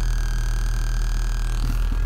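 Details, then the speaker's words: 1989 VW Passat B3 with an amplifier on the rear oval speakers; the head unit plays fine. On engine start a thin, steady whistle in the speakers grows and rises in pitch with revs: engine noise is getting into the audio through the amplifier. "я сейчас заведу и этот свист ещё увеличится во смотрите Passat я завёл и сразу же какой"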